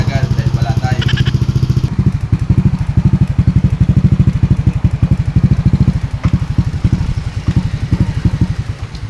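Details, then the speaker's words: Yamaha Aerox V1 scooter, CKP sensor already replaced at another shop, still misfiring with no idle; uneven stumbling idle thumps that skip and sag toward stalling; head cover O-ring leak found, valves and idle actuator to be checked. "Nagloloko siya kanyang idle. Ah since ang sabi ng may-ari pumapalya namamalya galing na sa ibang shop kaya hinintay tayo ni sir yan nag pumapalya siya tumatalon"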